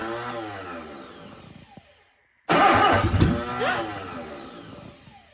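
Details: Sunbeam Alpine first start on the carburetor without starting fluid, temporary spliced distributor lead wire for a weak spark: cranks, pauses, then catches with a lumpy, surging and sagging rhythm, running rough and needing adjustment.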